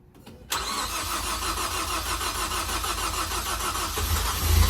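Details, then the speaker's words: Ford Focus ST turbo engine, first start after rebuild: after a quiet start the starter cranks at a steady, slightly uneven three beats per second and never catches; they think it needs fuel through; extended crank, no start. "It probably just needs to get fuel through. Go ahead and do it. Let's try her again."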